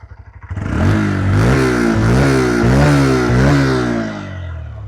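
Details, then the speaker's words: New Honda Hornet 125 start and revs: quick catch on the starter, then a crisp, even sporty bark from the silencer rising and falling cleanly; rider says it sounds like a 150–160cc bike; healthy engine and exhaust. "भाई लगता ही नहीं कि मैं कोई 125 सीc की bike start कर रहा हूं। मतलब साइलेंसर से तो मैं बहुत खुश हूं। मतलब साइलेंसर की आवाज एकदम मजा ला देती है।"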